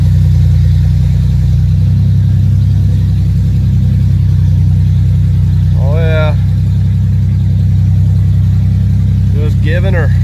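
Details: Budget Ford Ranger project, previously dead, now on a new jump battery and fired right up: steady low drone settling to idle with a couple of short blips, smooth and even, idles down somewhat; normal idle.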